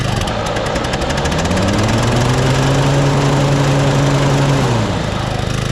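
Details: Toro Turfmaster mower with blades engaged: loud, steady engine under rapid, fairly regular knocking about three to four per second; blades checked fine, idler or belt suspected.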